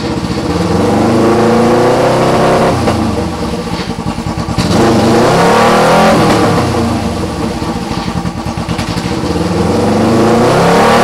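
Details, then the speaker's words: 2008 EX250 motorcycle chassis with a swapped-in EX500 engine on fabricated brackets. Twin revs up and settles cleanly with an even exhaust beat, no knock, tap or bang under throttle; engine sounds healthy. "motor sounds good I don't really hear me knocking banging and tapping and going on in there so that's always nice to hear"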